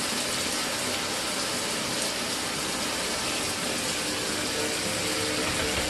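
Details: Mira (Zora) shower after replacing the faulty solenoid valve that made flow stop and start intermittently a few minutes after switch-on: constant hiss of running water with no surging, sputtering or cut-outs; steady flow after repair.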